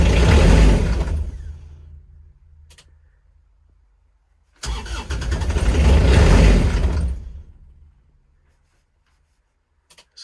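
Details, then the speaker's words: Kubota RTV900 diesel cold start at -8°F with gelled summer fuel: two long cranking bursts with a steady beat fade out without catching. Owner thinks extra cranking forced gelled fuel into the lines. "so still doesn't sound good i think i probably shouldn't have cranked it over as much while it was starting to gel because i think i actually probably forced some of the gelled stuff into the lines which is not good on my part"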